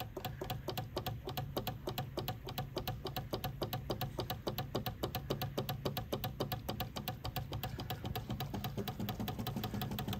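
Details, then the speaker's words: 1967 Austin Mini Cooper S not started since 2014, ignition on: after hammer taps revived the electric fuel pump by the exhaust, it clicks quickly and steadily, three to four a second, pumping through a dirty filter. "I'm just going to give it a few TS with the hammer and see if it comes back to life there it goes can you hear it clicking now"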